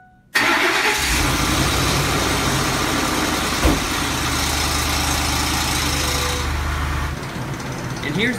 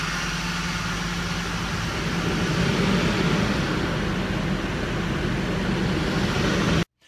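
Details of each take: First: Ford 5.4L four-valve DOHC Triton V8 at startup after sitting 8–10 hours: the engine catches and settles into a loose metallic rattle, with a roller-coaster-like chain dragging noise. Timing chain slap; broken guides suspected. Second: Ford 5.4L Triton four-valve DOHC V8 after repair for noises linked to timing chain guides, tensioners and oil pump: smooth, quiet, even idle on startup with no rattle or chain slap; engine now sounds healthy.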